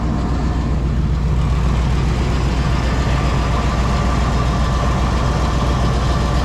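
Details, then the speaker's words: 2000 Chevrolet K2500 flatbed, 350 engine, idling after the exhaust leak was sealed with exhaust sealant the day before: steady even low rumble, no ticking or puffing; exhaust currently leak free. "But for right now, we are exhaust leak free"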